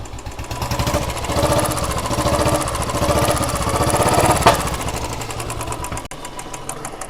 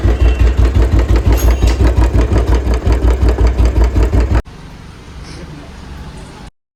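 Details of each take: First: Royal Enfield Bullet/Classic 350 single-cylinder at idle after a cylinder head rework (loose valve guides, worn valves found); a slow, even thump with a light patter and the earlier tick-tick noise gone: normal idle. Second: Royal Enfield Bullet/Classic 350 single-cylinder running before a head rebuild. Hard clattery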